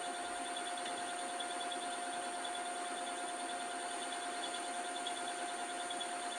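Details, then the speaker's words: Lathe facing a rusty mystery-metal blank for a new Schaublin SV-51 belt-variator shaft; low-cutting-force insert, loose rattling tool post. A faint, steady high whine holds at one pitch under hiss while cutting, possibly chatter from poor rigidity; horrible whining cut. "I'm using an insert which has quite small cutting forces. It helps with this kind of equipment. It's whining. Horrible sounds."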